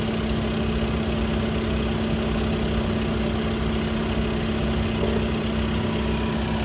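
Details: Skoda Octavia 3 (5E) RS 2.0 TDI with DSG, idling hot at normal temperature: a thin steady whine rides above the diesel rumble from the DSG gearbox; a Skoda workshop could not find the cause.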